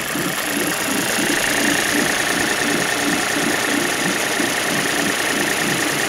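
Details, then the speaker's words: 2006 Suzuki DF50 three-cylinder outboard with 297 hours, slightly warmed up: even, steady idle with a smooth regular beat and no knocks or misses; earlier slight vibration had been suspected from a spark plug. "сейчас проверим больше чуть-чуть по нагрелся отличненько работает"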